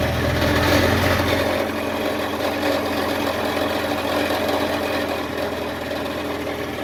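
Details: 2000 Jeep Cherokee XJ 4.0L straight-six at idle on worn factory exhaust before MBRP replacement: loose, buzzy rattle over the exhaust note.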